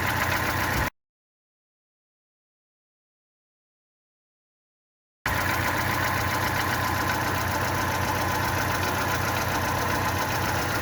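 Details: Fiat Palio 1.2L petrol engine idling rough with a pulsing beat of about three to four thumps a second, an engine misfire.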